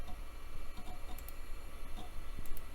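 Quiet, irregular light ticks of the head stepping over a low steady hum; a floppy drive writing normally with no grinding.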